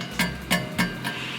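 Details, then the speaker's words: Nissan GT-R R35 exhaust after a rattle fix using a rubber coating on the pipe and a cross brace: three hand taps on the pipe ring out clean and die away with no buzz or rattle. Normal exhaust, no rattle. "right that is a good sign so the rubber coating on the pipe and that cross brace are definitely doing their job creating a good barrier"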